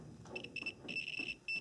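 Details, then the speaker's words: '97 Nissan Maxima fuel pump relay bench test: pins 1 and 2 powered, relay clicks, multimeter continuity mode across pins 3 and 4 gives high-pitched beeps in broken bursts; relay switches and conducts, working correctly. "and then you take the multimeter and we should hear an audible sound like this"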